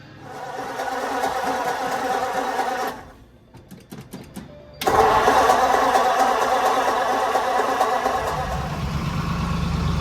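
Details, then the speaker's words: 1947 Ford with Fenton manifolds, new motor mounts and freshly swapped T5 5-speed, first start with transmission oil filled: brief crank, then a quiet, even idle with soft steady exhaust; sounds healthy. "Finally got oil in the transmission so we can actually start it and see what this exhaust system sounds"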